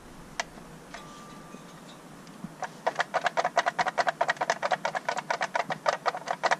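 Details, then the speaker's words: Renault Megane R26 with gearbox removed after a track day problem, release bearing fine: dry rattling clicks about twice a second as flywheel turned by hand in quiet shop; dual mass flywheel worn. "So, as you can probably hear, the flywheel sounds fucked."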